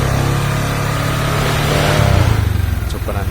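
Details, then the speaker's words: Honda Vario scooter after tapping a part further to the right to cure a snoring growl under throttle: revs rise and settle with a clean, even drone and no rough growl; it runs normally. "nah ini sudah terliat tidak ngorok ya teman-teman"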